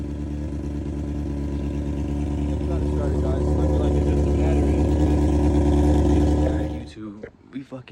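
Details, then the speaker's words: Honda CBR600 F4i that had no power and wouldn't start, started after jump-starting the battery, no solenoid change needed though old solenoid was burnt: smooth running, revs building steadily for several seconds before shutoff, no misfire. "the bike started man my boy's dad came through ron got the bike started up didn't even need solenoid none of that just needed the battery to be jumped"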